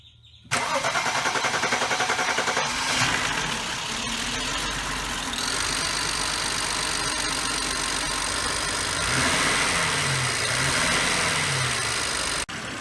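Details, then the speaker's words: 2008 BMW 535i after cracked valve cover replaced, battery hooked up following a jump; quick clean start, catches immediately, smooth steady idle with no ticking or stumbling; engine runs fine. "all right youtuber the car is running good now customer came and picked up the car so i'm filming it here at the property and that's running good"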